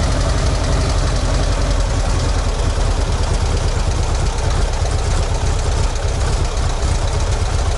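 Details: ZAZ 968M air-cooled petrol engine started after standing idle, fuel pump just repaired: deep steady rumbling idle with an even beat, usual air-cooled clatter, no knocks or misses; engine running normally.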